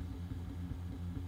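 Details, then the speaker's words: Artillery Genius 3D printer on first print, hot-end cooling fan not yet running: soft low stepper hum shifting in tone as the head moves, no grinding or clicking; quiet, healthy printing. "That is one quiet printer. I mean, the hot end cooling fan hasn't fired up yet, in fairness. But that is quiet."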